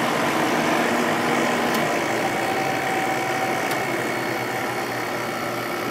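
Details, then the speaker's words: Second Sharp 8500 BTU window air conditioner (Matsushita compressor, Samsung fan motor), spring startup; smooth, even hum with a faint steady whistle and no rattles or knocks, running normally. "I love the way these air conditioners sound. Enough for that one."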